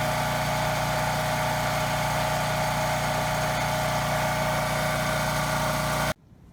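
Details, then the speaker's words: Generac GP3300 generator after broken blower housing replaced, recoil no longer hitting the cup: steady, even hum at constant speed with no surging or knocking, then clean shutoff; running normally. "okay so it started pretty well runs well no surging or anything"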